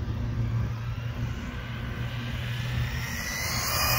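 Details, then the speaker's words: ZD Racing Thunder B-10E buggy kit on a 3S 5200 mAh battery with unchanged gearing, on a full-throttle parking-lot pass: steady high motor whine with tyre hiss building as it screams past. Normal full-throttle run. "Oh shoot, she's cooking on 3S. Woo. Let's give another pass. That's full throttle."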